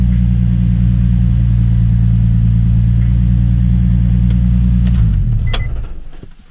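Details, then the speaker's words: Nissan 350Z/G35 VQ35DE engine after idler pulley delete with OEM spacer and main belt, revved after install: deep even rumble with no squeak or chirp, then winds down; accessory belt drive normal. "Okay. Give it a couple revs just to make sure it don't squeak."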